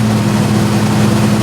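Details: Freshly rebuilt Jeep 4.0 straight-six at first start-up: a steady, even low drone with no knocks or misses at roughly 1800–2200 rpm, running smoothly with good oil pressure.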